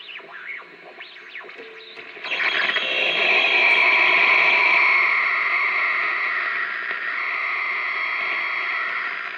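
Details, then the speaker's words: 1946 RCA 621TS TV with weak, intermittent sound now oscillating, 1 kHz test tone: quiet hum then a harsh hissy buzzy crackle at about two seconds; microphonic tube suspected, possibly a 6J6. "I just noticed that this whole thing is microphonic. I believe it's that one."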